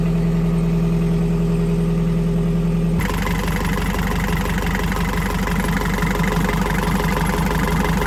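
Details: Narrowboat diesel engine being worked on in situ by breakdown engineers after two months of not running: a steady, even idle with a regular low beat and no knocks or misses; it sounds healthy.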